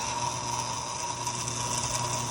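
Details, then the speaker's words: Bridgeport shaper: the original 2-phase 220V power switch box was rebuilt for a new 100V single-phase motor. A constant buzzing rattle over the motor hum comes from the loose start and stop buttons vibrating; the owner may add an O-ring. "discovered that these buttons vibrate tremendously. If I put my finger on them, you can hear. I don't know, I maybe put an O-ring in there or something to get rid of that noise."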